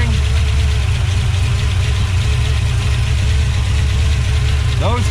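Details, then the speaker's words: 1970 Plymouth 340 Duster V8 with adjustable rockers, heavy blow-by: uneven lumpy idle with beats dropping out; water-squirt test shows cylinders 4, 6, 1 and 7 weak, two dead; valve lash to be checked. "thing sounds that's totally missing now it sounds like it's got a cam in it holy blow by from hell but adjustable rockers and they're working"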